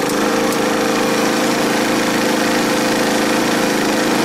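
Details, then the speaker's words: Energizer eZV3200P inverter generator loaded with a heater steps up to a higher rpm and holds a steady, even hum; normal running under load. "going to give some load so you can hear how how it responds under different loads"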